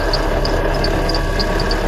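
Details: Mitsubishi Outlander idling at -5°C, drive belt replaced 10,000 km ago: thin high whistle and short irregular chirps from the slipping belt. Fix is a belt conditioner spray.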